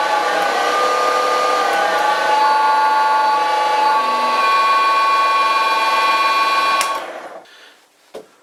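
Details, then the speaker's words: Loud, steady high-pitched whine with stacked harmonic tones, then winds down and fades after about seven seconds; noisy motor drive. "although I must admit. I do like teasing you guys with a little harmonic noise"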